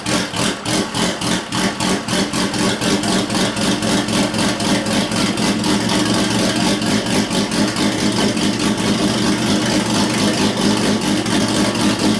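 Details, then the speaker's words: Built Nissan RB26 in an R32 GTR (fully ported/polished head, 260 Tomei cams) idling with the exhaust open: loud, rapid, choppy brappy popping, sounding like a bridgeport rotary. Normal open-exhaust idle. "that sounds like a goddamn Bridgeport rotary what the hell"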